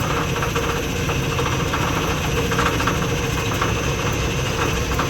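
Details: Lathe three-phase motor on a VFD at constant speed driving a variable two-pulley belt drive, speed lever shifting the center pulley: loud steady rumble with faint irregular ticking as speed changes; noisy belt drive, cause unconfirmed.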